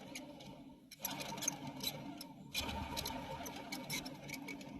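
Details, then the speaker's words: Old alternator removed from the vehicle, still charging, spun by hand: dry gritty rumble with rough scraping from worn bearings, which drag on the motor and probably eat the belt. "this guy is the old one which still works fine it still puts out a charge and everything but the bearings in it are going and i'll spin this and let you listen to that"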